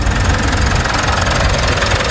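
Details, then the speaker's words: 2016 Mitsubishi Montero diesel idling just after replacing and tensioning both drive belts. Even, steady clatter with no squeal or chirp from the belts; smooth and healthy, belt install good. "Iyon no, napaka-smooth no? Napaka-smooth yung andar. So wala siyang tunog na sa belt no."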